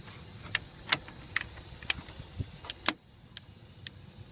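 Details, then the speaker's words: 2003 VW Golf GTI 1.8 L turbo, solenoid output test after swapped overboost and secondary air solenoid plugs were corrected: sharp dry clicks roughly once a second, irregular spacing; secondary air injection solenoid now clicking normally. "all right now we got the right Sounder clicking now it looks like it's working it kind of works kind of hard to pull through it but should be working fine"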